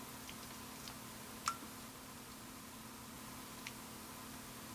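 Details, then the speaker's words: Kaiweets HT112B multimeter switching on AC voltage reading; two faint, sharp clicks a couple of seconds apart in a quiet room as its relay clicks on and off, normal operation. "I don't know if you heard that or that, but yeah, that's relay clicking on and off."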